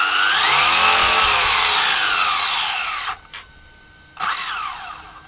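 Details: Rlaarlo AM-D12 RC desert truck on a 3S battery after a diff failure, now fitted with steel helical gears and 100,000 weight diff syrup. A smooth whine climbs and falls as the wheels spin up and coast down, with no grinding; the drivetrain is normal.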